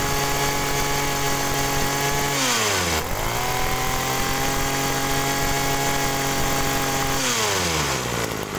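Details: Agricultural sprayer two-stroke fitted with a known-good spare carburetor: steady buzzing high idle, drops cleanly on throttle-off and picks up without hesitation; normal, ruling out suspected stuck pump as the bog cause.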